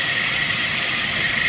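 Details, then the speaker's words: Engine with thin, steady high whine over engine hiss from the serpentine belt drive; owner suspects an idler pulley bearing, possibly alternator or AC compressor bearings, not confirmed. "I'm I've had two amateurs looked at it and we all decided exact pulley right here it almost sounds like a a alternator noise"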